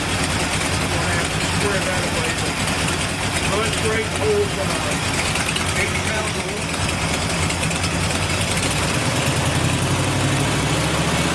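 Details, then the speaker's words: Ford Bronco with a 460 V8, first start after the build, small headers: big V8 settles into a steady, even idle with a deep low rumble, no knock or miss; normal. "that is that's smooth I was just touching the key Wow I just move in torchy motor though even with that little little header thing it still sounds great"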